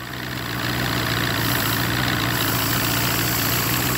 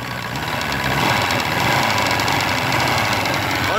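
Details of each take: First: Force 120 (Mercury) 1999 two-stroke outboard off a Bayliner, silencers removed: steady, even, quick idle with no stumble; idle speed sits a little high and can be adjusted down. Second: Force 120 (Mercury) 1999 two-stroke outboard off a Bayliner, freshly started, throttle blipped: buzzy run, even and picking up cleanly when revved, no misfire or knocking, smoking as a two-stroke should; healthy.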